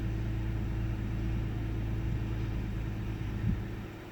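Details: 1998 Ford Taurus SE OHV V6 at idle, hood open: low uneven lumpy rumble with a stumble near the end, sputters and mild rpm fluctuation; rough idle with misfire, cause unknown.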